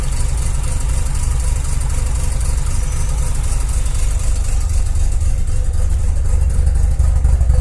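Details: 2001 JDM Mazda RX-7 FD3S rotary: deep, uneven idle with a lumpy beat about four pulses a second that never settles; rough idle while the boost gauge needle shakes.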